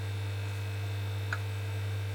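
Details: Korvet 100U-048S amplifier, unused and boxed for 39 years: a loud steady low hum from the power transformer, plus a relay click. Its screws were found loose; the transformer is suspected, not confirmed.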